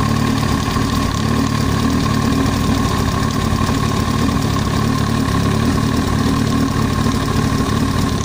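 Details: Yamaha YZF-R1 at idle: a fast, light ticking knock over a steady idle with no change in engine speed. The extraneous noise comes from the cylinder head. Top-end knock, cause not yet found.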